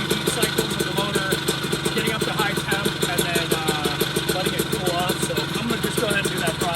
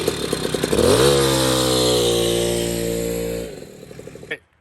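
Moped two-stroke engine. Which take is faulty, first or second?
first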